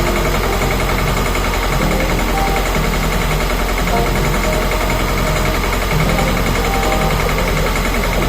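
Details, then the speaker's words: 1.6 HDi/TDCi diesel idling roughly around 1100 rpm with a lumpy, stumbling rhythm from a faulty injector; leak test used to find which one. "let's have a listen engine Behavior with faulty injector"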